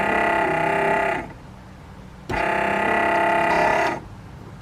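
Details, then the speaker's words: 2nd-gen Cummins truck wiper motor, bolted in with connections made, tested before reassembly: two even one-second whirs with clean stops; normal wiper motor operation. "now before i put everything else together we'll go ahead and test it and make sure everything works"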